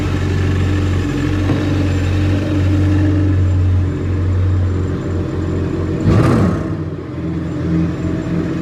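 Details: Yamaha FZR 1800 jet ski, sea test after fixing a no-crank, no-start caused by a loose contact on the negative relay: steady even low drone, no misses or knocks, one brief surge; running normally.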